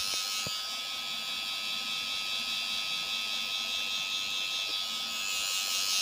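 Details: Quadcopter with one motor running noisier than it should: a thin, high, steady buzzing whine with a rough edge. Worn bearings are suspected.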